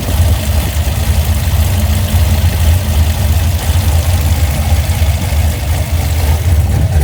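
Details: Engine fitted with Holley Sniper fuel injection at idle: a low, steady idle with an uneven, stumbling pulse underneath, pointing to a misfire; the cause is not confirmed.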